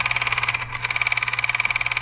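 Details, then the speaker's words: Repurposed old cordless drill motor driving a remote inductor tuner for an 80 m inverted-L antenna: a high motor whine with fast regular clicking, about twelve a second, from a gear with a chunk out of one tooth. "And so you'll hear the noise of this gear with a tooth, with a chunk out of the tooth."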